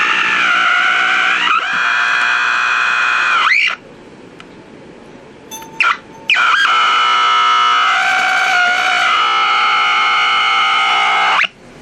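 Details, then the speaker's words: Packard Bell 35 AM tube radio: loud steady high whistles with gliding squeals cutting out and returning, no stations. Nothing gets through the IF; coils and tubes check good. Squealing oscillation, cause unknown. "radio is a trip this radio is just it's weird it sounds like there's some activity"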